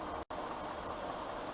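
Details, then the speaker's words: Oldsmobile Aurora 264k-mile V8 with balance shaft, engine bay view at night: quiet, even hum, no knocks, ticks or hunting, soft steady purr, as smooth as the 160,000-mile one; normal idle. "now have a listen just like my 160 000 mile quiet and smooth these are very well balanced engines they have a balance shaft and they just run super super super smooth"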